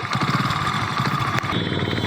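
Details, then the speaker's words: Hero Splendor Pro single-cylinder idling: quick even ticking rattle riding on the idle beat, seeming like a loose bolt or nut from an external part rather than the head; loose part rattle. "और इस side से देखो और ये ऐसा लग रहा है जैसे मतलब कोई बोल्ट"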